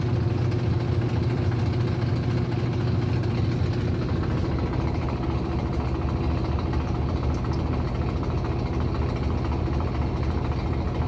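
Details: Aurrtech 18 lb portable washing machine, model AU0003, in use: heavy loud low rumble running steadily with a rough thumping pulse about twice a second; loud running noise.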